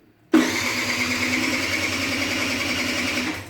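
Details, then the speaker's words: Aprilia SR50 Factory DiTech scooter at 504 km, first start attempt after sitting 15 years: the starter spins the engine at an even rapid chatter for about three seconds without catching. Cranks but won't start; owner thinks the pump needs priming. "okay i'm gonna have to prime the pump i think few times once again nice 500 kilometers nothing it's nothing"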